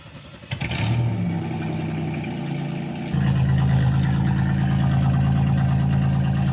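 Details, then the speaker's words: Car running straight-piped with no muffler: catches after a brief crank, then a deep, loud, even burble that steps up in revs. Runs fine. "Let's see how it sounds. All right. This is just straight piped right now."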